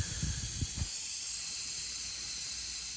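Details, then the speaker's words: Honda Crosstour A/C unused for years with large leak: constant sharp level hiss, changing as hose moves, with handling thumps; refrigerant escaping through pinhole in suction line rubbed through on plastic tank ridge. "Hear the noise change? There's a hole in this suction line."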